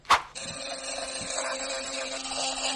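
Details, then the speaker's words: Philips Sonicare electric toothbrush: after a click it starts with a harsh, rattly buzz instead of a clean hum, and the brush feels wobbly. Cause is a loose drive screw, fixed by tightening it. "If your brush sounds like this, don't replace it yet. This is just a common issue of a loose screw, and the fix is surprisingly simple."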